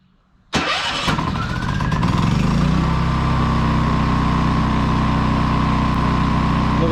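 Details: RV generator that sat all winter, new battery fitted after an earlier fault, confirming the fix: cranks briefly, catches at once and settles into a steady even hum in economy mode with no misses or knocks; normal start and idle.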